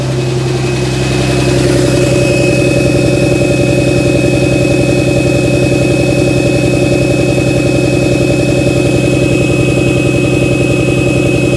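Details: 2007 Dodge Ram 5.9 Cummins diesel idling with steady clatter and an uneven, lumpy pulse about 160 per minute; began a month ago, intermittent fuel rail pressure, MAP sensor and overboost codes; owner asks about excessive blow-by; cause unconfirmed.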